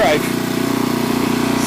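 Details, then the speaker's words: Renovated Troy-Bilt Horse tiller in low gear, tines set deep, tilling rocky soil: small petrol engine holds steady rapid putter without bogging, pulling load fine; a brief belt squeal on a rock hit suggests belt could be tightened slightly. "make a make a pass coming back see that works uh working pretty good"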